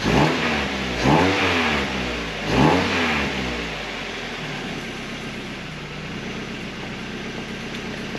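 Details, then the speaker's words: Mazda Miata returned to stock cat-back exhaust with resonator, warmed up a little. Three smooth throttle blips rising and falling cleanly, then calm even idle; stock exhaust quiet and healthy: normal revving. "mean it's not that's not it's not too bad it sounds pretty decent"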